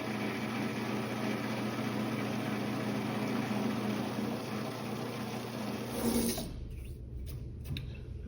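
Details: Vintage Craftsman 109 mini lathe taking a rough taper cut on a 1" UNC nut, compound at an odd angle, with cutting lube, audio sped up: a harsh buzzing rattle over the spindle hum; quite a bit of tool chatter.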